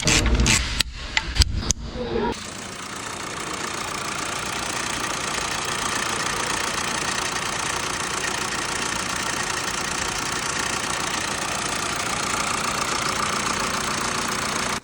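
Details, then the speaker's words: Mercedes E220d W238 diesel, previously rough at idle, after replacing both camshafts and rocker arms: even, steady diesel clatter at idle with no stumbles, misses or vibration; normal idle. "so I was very excited to see this engine idling so peacefully it was idling with no vibration after we replaced the cam shops and the rocker arms"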